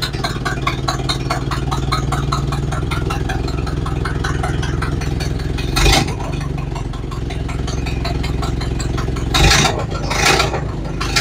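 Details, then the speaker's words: Model A Ford after sitting about four months and fitting new parts: starts right up and idles evenly with a few brief revs, but sharp rapid puffing ticks on every firing pulse from a leaking exhaust. "okay so that went well started right up ran good except for that leaky exhaust"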